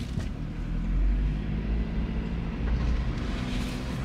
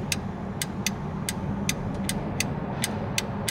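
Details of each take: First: 2009 Honda CR-V under hard acceleration with a scan tool logging VTEC data: a roar, then a flatter, weaker pull as it drops into limp mode and the codes return. An intermittent VTEC solenoid or switch fault; oil level and condition to be checked. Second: Honda VTEC solenoid powered directly during diagnosis: sharp, crisp clicks about twice a second over a low engine hum. The solenoid actuates normally before a road test with a scope to check it at 4,000 rpm.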